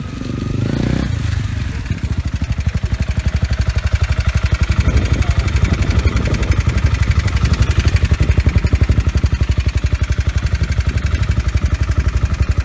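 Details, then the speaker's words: Used motorcycle idling: hard, heavy knocking about three times a second, a crankshaft knock; a bad engine, walk away from buying it. "Yani bu Kral meselesi de işte gerçekten kötü motosiklet Ordu ve o sert kıran sesini duyuyorsanız Omo tuzdan doğrudan uzaklaştım"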